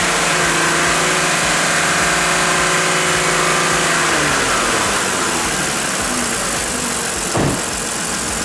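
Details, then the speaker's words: 2014 Ford Explorer 3.5L after P0019 diagnosis and repair, with the VVT solenoids click-tested: the engine starts and settles into a smooth even idle. No more misfire. "Sounds good. No more misfire."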